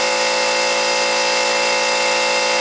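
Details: Harbor Freight 125 psi compressor on two parallel run capacitors replacing 140MFD original: even, steady motor hum with constant pump drone, no knocking, rattling or labouring, near 125 psi cutoff; caps stayed cool, repair a success.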